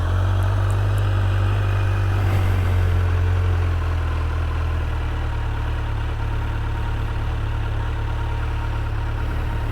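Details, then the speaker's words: New 2023 Kawasaki Z900 four-cylinder in break-in period, quiet exhaust; low even hum with smooth steady pulse and no knocks or rattles, normal idle. "sounds great though"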